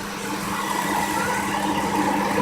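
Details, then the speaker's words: Chrysler Concorde 2.7L after full timing chain, guides, tensioner, cam gears and water pump replacement: smooth steady even idle hum, engine doesn't move, no knocks, ticks or misses; normal idle. "beautiful like that Wow that engine doesn't even move at all because smooth that is I"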